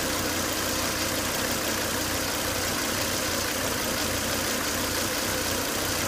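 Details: Volvo S80 2.5T idling after 10 to 20 minutes of running with high intake vacuum, oil cap sucking air hard: thin, steady hiss-like whine over the idle from a failed crankcase breather, solved by replacing the breather box/filter.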